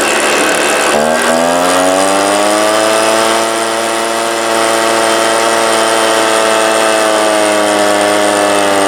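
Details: 1998 STIHL BR320 two-stroke leaf blower, about 24 years old, run during carburetor adjustment attempts: note climbs after a second then holds flat and buzzy without clearing to full revs; power loss at full throttle, later fixed by carburetor cleaning.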